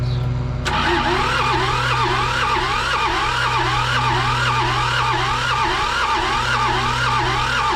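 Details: John Deere 650 with two-cylinder Yanmar diesel, sat 15+ years, after the injection pump was rebuilt and retimed: fuel now reaches both cylinders and some smoke appears. The starter churns, pitch rising and falling per compression stroke, but it never fires. Weak compression suspected.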